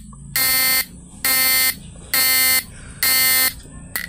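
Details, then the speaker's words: Fish-stunner PDC 4-FET inverter with air-core inductor coil and buzzer: loud buzzing tone switching on and off about once a second; flip-flop mode pulsing slowed because the 1N4148 diode in the flip-flop module was removed. "Mode standar, ini mode flip-flopnya kayak gini guys. Jadi kedipannya melambat ya,"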